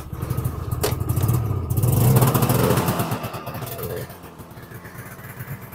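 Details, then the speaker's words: 1984 Yamaha Phazer after oil pump seal and other leak repairs: steady two-stroke burble with quick even beat, no misses or rattles, settling quieter toward the end; running healthy, no further leaks seen. "well now that we're all put back together we can fire it up check and see for any more leaks"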